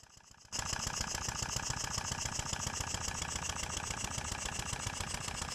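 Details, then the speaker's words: Stuart No.8 horizontal model steam engine after refurbishment, test run on compressed air with newly fitted oilers on main bearing caps filled and working; after quiet start, quick even chuffing about three to four per second; normal running. "This clip shows the engine running on air from above. I filled the oilers with oil before running the engine and they are working very well."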